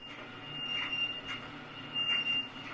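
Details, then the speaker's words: Fisher & Paykel DEGX1 dryer, about 13 years old, running empty: a shrill squeak over a soft hum about once per drum turn from the worn main drum bearing; much louder when loaded. "It started squeaking a couple weeks ago, so I knew we had a bearing going out or something like that."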